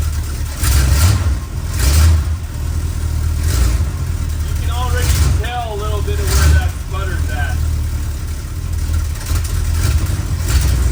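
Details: 1962 Chrysler New Yorker, 440 V8, cold before carb tune-up: low rumble stumbling in uneven surges when revved, bogging instead of pulling cleanly; owner blames mainly cold engine, not confirmed.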